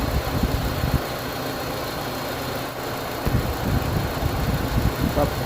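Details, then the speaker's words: Car with rough idle that persisted after replacing spark plugs and ignition coils: engine shakes, lumpy uneven idle with sagging revs, stalls after starting and again after restart, no power; traced to faulty MAF and O2 sensors. "นี้เราก็จะเห็นได้ว่าเวลาสตาร์ทเครื่องมาเครื่องมันก็จะสั่นแล้วก็จะเบาดับสตาร์ทใหม่แล้วก็สักพักนึงแล้วก็จะเบาดับเหมือนเดิมนะครับ"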